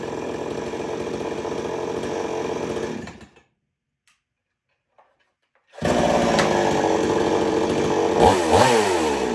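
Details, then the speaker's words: 6220H chainsaw running, cutting out and restarting with a light buzzing rattle on the exhaust; the rattle is the inner second screen behind the muffler screen, harmless and always present. "in case you're wondering what rattle it is, that's the other screen right behind that screen on the muffler. That's fine. It does that all the time."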